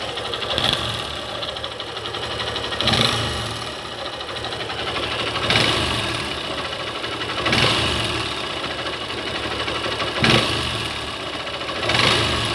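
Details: Honda Bros 150 with a strange engine noise of unknown cause: steady single-cylinder idle with a harsh rushing surge about every two and a half seconds. Cause not identified.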